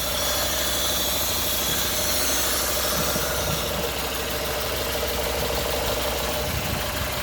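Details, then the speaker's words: 2011 Renault Sandero 1.6 with misfires, low idle and power loss, after a new fuel pump, spark plugs, MAP sensor and throttle position sensor: an uneven, lumpy idle with an occasional stumble; the shaking has improved but the power is still missing. "well the shaking is not as bad as as it was but the power is still not there"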